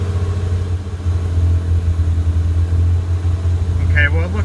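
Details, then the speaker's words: Lamborghini Countach LP400S replica idling after tachometer wire fix; steady, even hum that never settles, about 1800 rpm versus normal 600–800, idle air control valve not bringing it down; idle speed too high. "it's around maybe 1800 rpm which is way too high normally it should be between six to eight hundred idle"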